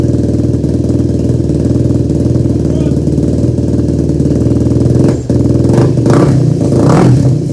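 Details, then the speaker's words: Yamaha YFZ450 ATV rebuild, first start after engine install and carb rejetting, no choke, fuel petcock accidentally left off; the single fires unevenly with a lumpy stumbling beat and ragged revving; owner suspected carb jetting. "All right, folks, well, that wasn't a very good first start here. So I'm not sure what's wrong with it. I think we're gonna have to pull the carb and we're gonna have to rejet some things."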